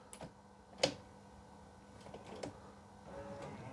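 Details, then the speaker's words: Rolls-Royce Silver Spirit III interior: quiet cabin, then one sharp clean click from the driver's door lock solenoid as it locks, softer click later; lock operates normally, while the passenger front door lock does not work. "what happens is I've got both rear doors working, as you can see. Lock, unlock. And this one here on the driver's side, lock,"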